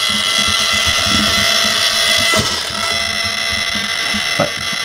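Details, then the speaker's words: Two servos connected to outputs A1 and A2 of an Intellimatch V2 servo matcher, before matching and endpoint setup: high, constant electric buzz with faint chatter from the unmatched paired servos fighting. Servo buzz. "you can hear some buzzing and that's because the servos haven't been matched yet"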